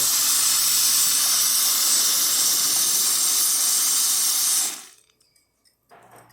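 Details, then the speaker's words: Lelit Bianca espresso machine after full service: strong steady hiss of hot water dispensing, then quiet and soft low pump hum as water level probe triggers boiler refill; normal hot water dispense and refill. "The water level sensor probe is detected right away. That's like the water level goes down and starts refilling."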